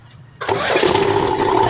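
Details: Diesel 10-wheeler truck with a starter complaint, test after restoring the fuse with a temporary twisted connection: a short crank, then it fires straight away and settles into a steady, even idle; normal start.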